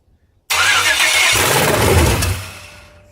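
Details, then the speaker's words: GM 5.3 LS engine's first start with security not yet programmed, and no oil added yet: engine catches, runs about two seconds, then winds down and dies. Start then stall caused by the immobilizer. "now I said I don't have that son programmed yet so it'll just fire up for like a second mm and die but you do that a couple of times"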